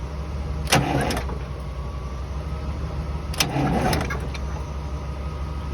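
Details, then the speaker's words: 1982 Silver Eagle tour bus, Detroit 6V92 diesel, fairly fresh overhaul, parked 6–10 years, jump-started at the starter: engine spins freely with even churning beat, no binding; normal cranking, good compression. "good compression i'll give her that"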